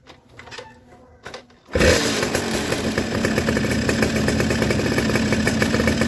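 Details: Suzuki RC two-stroke motorcycle with original CDI and coil, previously with blackened, wet plugs: after handling noise the engine settles into a steady, crisp idle without dropouts, and the ignition spark is strong.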